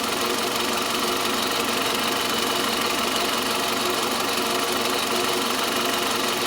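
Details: Toyota Camry 40 with 2.4 engine at idle: a sharp, ringing tick at about two per second, always present, near the front accessories by the alternator; engine knock of unknown source.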